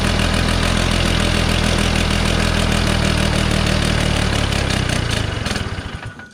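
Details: 1969 Polaris Colt 303 Wankel rotary snowmobile after years of sitting, with a mouse nest in the muffler and the carb screws being adjusted. Uneven, loping burble with a ragged exhaust beat that dies off; it won't rev up and is running rich.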